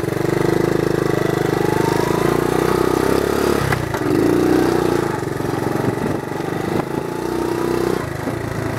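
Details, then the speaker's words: 1970 Honda CT70 Trail 70 with automatic clutch, back to running condition, ridden: small single pulls smoothly, revs rising and falling cleanly through gear shifts, no knocks or rattles; healthy. "but you can see she's uh that sound brings back memories no issues just a fun little ride"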